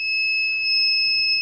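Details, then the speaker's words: DIY power wall inverter running the house: a continuous high-pitched alarm that won't shut off while the output keeps running. The inverter is warm, its fans are off, and voltage seems adequate; the owner wonders if it was overloaded. The cause is unknown. "But, it's weird how it's still running and the alarm won't shut off. Extremely annoying."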